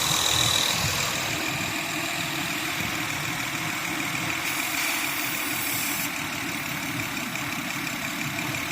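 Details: Honda Pilot at idle with suspected intake vacuum leak: strong airy hiss with brief spray bursts as combustible is sprayed around the intake to find where the engine running changes.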